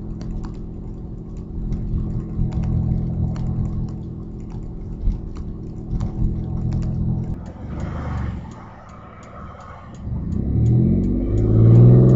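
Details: Audi A4 2.8 12V at idle: sharp puffing ticks about three per second over low rumble; exhaust leak right after flex pipe, before the cat, leaving one bank open; later repaired.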